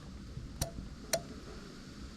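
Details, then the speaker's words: New wiring harness for a Lexus LS430 3UZ-FE VVT-i set up for a manual gearbox, 12 V applied to the black/red wire: three crisp relay clicks in under three seconds, then the fuse-box LED and check-engine light come on. Normal relay operation. "here the relay's clicking away okay so now you can see our led and our fuse box is lit up"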